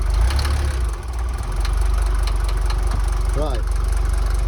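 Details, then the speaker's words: Mercedes T1 van OM602.940 diesel, just after engine rebuild with reworked head, idling in neutral: steady idle with a quick metallic rattle about four a second over the knock; rattle still present after rebuild, engine also smoky. "do the clutch feels good still got the rattle I knew it would would still be there"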